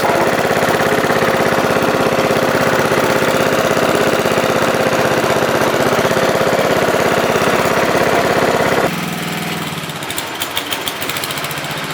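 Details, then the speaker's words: MTD Wizard 12 hp lawn tractor, free and revived, runs steady and even at a quick beat while driving and cutting with grass catcher bags on, then shuts down cleanly; healthy, though owner notes it lacks power and may check compression and valve seating. "well I guess that's a wrap it runs drives and cuts what more can you ask"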